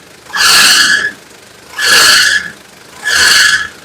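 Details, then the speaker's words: Engine: three sharp high squeals, each about a second long, in bursts over a quiet engine; loose fan drive belt slipping, needing adjustment or replacement. "so you might be asking how do you know if you need to replace or check your fan belts well it will be making this noise"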